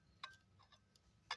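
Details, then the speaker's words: eBay turbo, about 25 hours on a Cummins 4BT excavator engine, shaft turned by hand: two sharp scraping ticks a second apart as the impeller rubs and catches at one spot near 11 o'clock; bearing seems free. "it's rubbing in just one spot almost at like the 11 o'clock it comes around to that and it catches"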